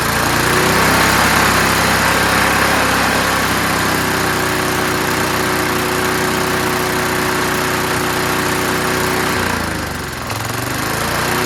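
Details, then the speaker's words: Curbside-found Snapper Hi-Vac push mower now running on its own. The throttle lever hits the ground at about 2/3, so it revs high. Fast high-pitched single-cylinder buzz for about nine seconds, then a brief sag and recovery. Running at high speed. "All right, so when you put the throttle about 2/3 down, it touches the ground and stops it. And so it kind of revs high."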